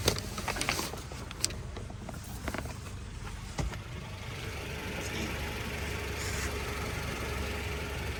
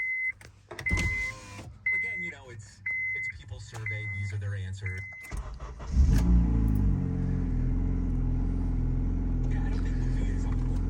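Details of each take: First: Honda Civic just after exhaust repair at a muffler shop: soft, low, even idle under a few handling clicks, with no blowing or rasp; the exhaust is now quiet. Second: Honda Civic bought cheap, as sold before shop exhaust repair: chimes and door sounds, then cranks and settles into a deep, loud, droning idle; loud exhaust, owner says it needs exhaust work.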